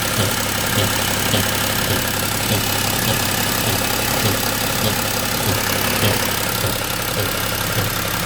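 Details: BMW X3 M57N2 diesel, 191,000 km, automatic, chipped to 262 hp, intake swirl flaps removed: a sharp tick at about 100 per minute over a steady idle from near the intake manifold by the oil filter; owner suspects the flap-control vacuum actuator and linkage.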